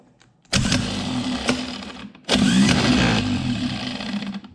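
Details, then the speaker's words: Old starter from 1967 Chevrolet Impala 283 V8, bench tested without load: two short high whirring runs that turn rough and growly as each spins down after release; starter growl, being replaced with a less growly one. "A little growly when you let off. That's the thing about bench testing these starters."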